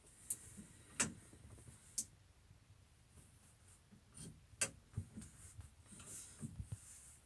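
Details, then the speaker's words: Massey tractor loader hydraulics, after adjusting the valve to restore bucket tilt-down: a few sharp separate clicks a couple of seconds apart over a quiet background, the valve now clicking both ways; hydraulic valve clicking normally after adjustment. "there so you can hear the valve clicking both ways now so I think that's adjusted"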